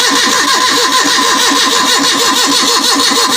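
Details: Gas-fuelled (CNG/LPG) car on a cold morning after choking: starter spins the engine in a steady rhythmic churn but it never fires; needs accelerator.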